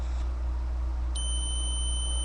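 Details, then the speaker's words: Datsun 280Z ignition switch, removed and tested on the S and B (starter/battery) terminals with a continuity beeper; near the Run position the tone drops out about a second then returns, showing intermittent contact. Owner was chasing intermittent no-crank and ECU resets. "makes contact a little bit of a loss there but you know other than that little Gap seems to sound pretty good"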